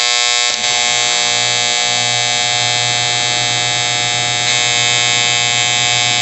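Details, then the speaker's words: Outdoor A/C condenser unit that had buzzed and would not start because ants jammed the contactor; after cleaning and filing the contactor, it runs with a steady even hum and clean fan and compressor tone, no buzzing or chatter. "it's on. the AC turned on. Gonna make sure the compressor turns on, and we got it on."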